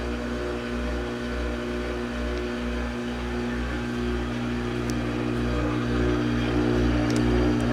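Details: Brand-new Samsung washing machine, only a couple of days old, while pumping out water: excessively loud drain pump motor with a steady hum, consistent grinding and heavy vibration, a throb about four times a second, on every drain.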